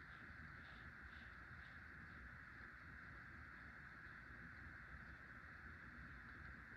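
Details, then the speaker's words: Hunter (CEI) Low Profile V ceiling fan, made 2003, after replacing worn bearings: soft steady hum with even airy whoosh, no ticking, rubbing or grinding; much quieter, slight wobble, runs slower than its siblings. "It's much quieter with new bearings, and still has a little wobble, and it blows good amount of air."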